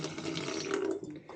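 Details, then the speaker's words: Culligan filtered-water faucet after the squeaky-handle fix (handle screw refitted, cap replaced, tank and feed reopened): water rushes out smoothly with no squeal or chirp from the handle valve; faucet now operates quietly. "now you can come back down here turn on the tank turn on the feed and just like that voila your faucet is no longer"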